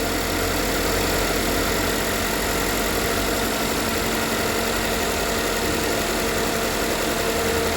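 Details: 2013 GMC Terrain after engine rebuild, first start-up: smooth, steady idle with an even low hum and no knocks, ticks or misses, no check engine light, and oil moving; the timing appears correct.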